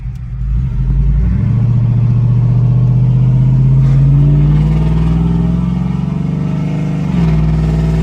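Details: Cammed LS Tahoe, earlier missing at quarter to half throttle, muffler off so very loud, doing a 0-60 pull after repair: deep V8 roar with rising pitch and no stumble or hesitation; misfire fixed, normal acceleration with loud exhaust.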